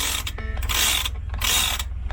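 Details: Sailboat's Lewmar Ocean winch, already serviced: crisp, even bursts of fast pawl clicking with quiet gaps and no grinding or dragging, turning smoothly. Normal winch ratchet.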